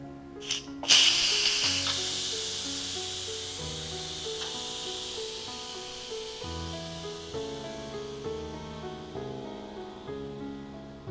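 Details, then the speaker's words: Yedi Houseware first-generation electric pressure cooker, after 10-minute cook, quick release through pressure valve: steady high hiss of escaping steam slowly fading under background music; normal pressure release steam venting. "so the cooking time is over and we're going to release the pressure and steam using the quick release method"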